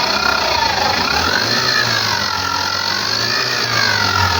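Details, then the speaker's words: Maruti Suzuki Carry van, engine noise complaint, no scanner codes; belt-driven parts checked by hand: steady whirring whine with faint wavering squeal over soft idle; noise traced to the alternator. "मी बघितलं पण alternator मधून जास्त आवाज येतोय हा आहे alternator"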